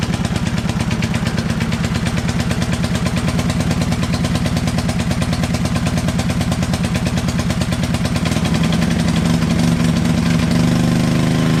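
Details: Toro 58-inch professional 3-gang reel riding mower after repair, fluid levels checked, first test drive; steady even single-cylinder thump at idle, picking up smoothly as it revs, no misses or hesitation: normal running engine.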